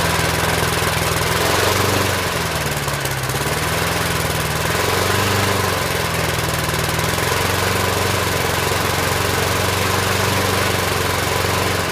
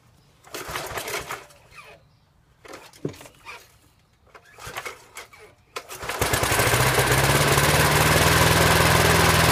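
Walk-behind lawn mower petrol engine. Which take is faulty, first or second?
second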